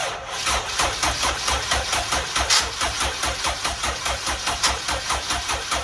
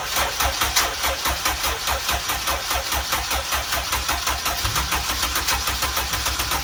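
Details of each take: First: First start of a newly built turbo Honda EG engine: catches straight away and holds a firm, even pulsing idle with no misses or knocks, no leaks, some smoke thought normal; normal first start. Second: Honda Civic EG turbo build, first start-up on an ECU file from the previous car with the same injectors: uneven lumpy idle after firing, then it stalls and restarts rough; no leaks, owner says fuel is all out of whack.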